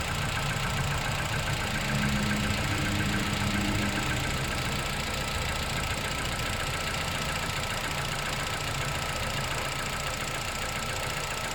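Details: Engine with 10,500 km on a cold start: quick, fairly regular tapping three or four a second over the idle, suggesting an internal knock; owner seeks help diagnosing.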